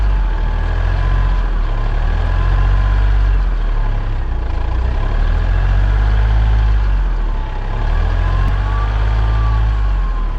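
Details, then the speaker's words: Hyundai Matrix diesel with over 203,000 km idling and being revved, with white/black exhaust smoke. A deep pulsing rumble carries a faint, wavering whistle from the failed turbocharger, which needs replacement. "Avete sentito questo sibilo? Questa è la turbina che fischia, vuol dire che è arrivata e va sostituita."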